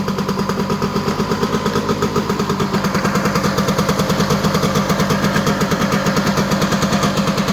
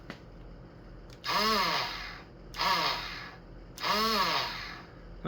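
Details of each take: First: Honda EZ90 Cub single after revival, fast idle, what seemed an exhaust leak is WD-40 burning off the exhaust pipe: even putter with no misses or knocks; running strong and healthy. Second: Honda EZ90 Cub on electric start after reassembly: three short bursts of the starter whirring up and down without the engine catching; owner suspects the starter Bendix drive didn't engage the flywheel and the case must come off.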